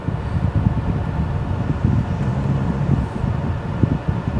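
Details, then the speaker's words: Pre-facelift VW T5 Transporter 2.5 BNZ after fixing the intermittent A/C and servicing the squeaky heater fan. With A/C on, a steady soft whoosh over a low, even hum with no rattle or squeal: normal blower operation. "Feels like we've got cold air coming through. Let's check the pipes in the engine bay. Fans running."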